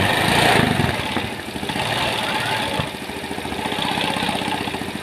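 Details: Yamaha Mio Sporty scooter, single-cylinder, idling with exhaust refitted after rocker arms (in and out) were installed and oiled, starting on the first kick; quick, fairly even putter, no knocks or misfires, smooth and normal after the fix.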